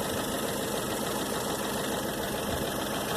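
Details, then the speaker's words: 1997 Dodge Dakota 2.5 L, 5-speed manual, warm idle just before pouring a treatment into the oil: light loosely spaced top-end tapping; owner suspects a hydraulic lifter and hopes the treatment clears it. "So we're gonna put it in here, and hopefully this clears up the tapping problem."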